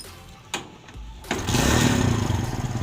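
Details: Kawasaki Barako 175 single-cylinder motorcycle with a hard-starting problem: a couple of cranks, then it catches quickly and settles into an even beat at about four pulses a second; normal start and run.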